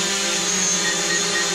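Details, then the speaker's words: New DJI Mavic Pro hovering indoors; steady, even high whir with stable pitch, no wobble or rattle, maintaining a pretty nice hover; normal hover. "we'll put in here and you can just see that it's actually maintaining a pretty nice hover"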